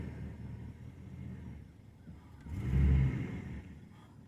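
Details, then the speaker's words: 2002 Ford Crown Victoria 4.6L V8, 103K miles, cold start around 50°F with intermittent cold-start issue, idle air control valve suspected: rough idle swells with throttle, then bogs and stalls when gas released; unburnt fuel smell. "see minute i let go of the gas it starts to bog and then it shuts off you should know this car takes forever to warm up too"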